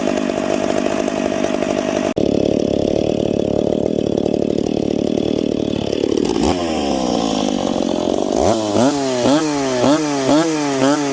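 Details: Piped McCulloch Pro Mac 850 two-stroke chainsaw cutting two-year-seasoned oak, tuned ragged-edge lean: high scream steady in the cut at about 10,300 rpm, blipping up and down between cuts; clean, strong.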